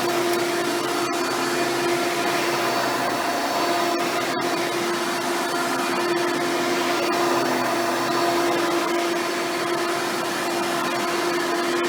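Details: Hoover Spectrum (Elite-style upright vacuum) run after installing a new belt and brushroll: even motor whine with steady high tone, no slapping, squealing or grinding from brushroll; runs properly.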